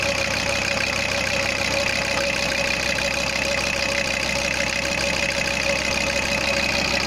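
Steady diesel clatter at idle, about three beats a second, even and unbroken, with no misses or extra knocks.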